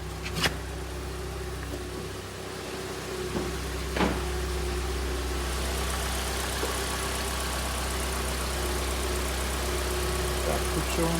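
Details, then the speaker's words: Hyundai i40 G4NA, 170,000 km, after short block replacement and a seized timing chain tensioner that caused loud knocking: warm idle heard from outside is smooth, quiet and steady with no tapping, rattle or errors; healthy after repair. "пробег по дометра 170 тысяч у нас работает ровно работает тихо без всяких ошибок давайте послушаем снаружи в принципе будем заканчивать"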